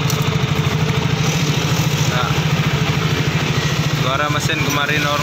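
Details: Yamaha Soul GT single-cylinder after repair for noisy engine caused by empty oil from late oil changes, cleaned inside and refilled: steady, even putter at idle with no knocking or top-end rattle; sounds healthy.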